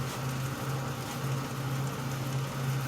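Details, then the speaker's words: Ford power steering pump, engine running while purging air with the wheel turned side to side: steady low hum with no whine or groan, pump very quiet after about 10 minutes of purging, roughly 99% of the air thought to be out. "you're going to draw air back down into the system man that thing is so quiet"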